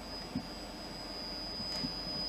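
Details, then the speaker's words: A 512 MB Quantum hard drive gives a constant high-pitched whine with an occasional soft click, noisier than a healthy drive. It is suspected to be very worn; the cause is unconfirmed. "Ce tiroir-là, c'est mon tiroir préféré. Le Quantum de 512 mégaoctets fait du bruit."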